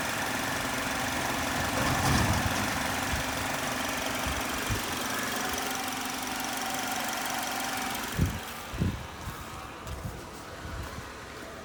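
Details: 2010 Chevrolet HHR 2.2 Ecotec petrol four-cylinder at warm idle: odd, uneven rattling noise over steady running, appearing when warm; cause unidentified by owner.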